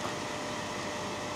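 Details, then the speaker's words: Hazer Unique 2 after repair of failed air pump (error E-8) and poorly flowing vaporizer, just activated at 78: air pump starts, bubbles circulating; steady even airy hiss, no knocking or pitch changes; normal air pump operation. "teď už jede vzduchová pumpa je to vidět že se že se tam obíhají ty bublinky Už to začalo fičet Už to začalo fičet"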